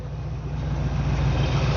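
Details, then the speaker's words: 1979 GMC C35 Sierra Grande V8 with run-on (dieseling) when the key is off: carb idle screw turned in too far, engine idling steady, fast and throbbing, running aggressively; idle speed set too high, later backed off to a calmer idle. "So I'm going to go ahead and get it running and then you'll be able to see the changes in the sound with the adjustments to that screw. So, running pretty aggressively"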